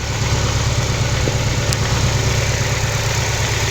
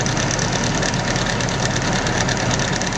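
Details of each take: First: Nissan 240SX S14 KA24DE after removing one timing chain guide: steady even idle just under 1,000 rpm, smooth low pulse, no clear chain rattle, idle still settling; normal idle after the fix. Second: Nissan 240SX S14 KA24DE engine before the fix: busy idle with fast dry metallic chatter over the engine note; the common timing chain rattle.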